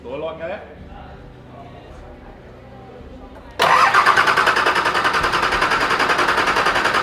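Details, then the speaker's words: Brand-new Nissan TD42 crate diesel just installed in a GQ Patrol, cranked to build oil pressure: starter churns steadily at about 3.5 beats per second with no firing; air in the fuel system prevents starting, oil pressure light not going out. "Well, it's not starting because there's heaps of air in the thing, but what we're doing is trying to get oil pressure, so the light should go out, but the light's not going out, and the gauge ain't going out."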